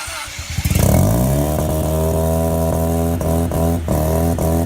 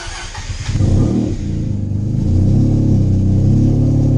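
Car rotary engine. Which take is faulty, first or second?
first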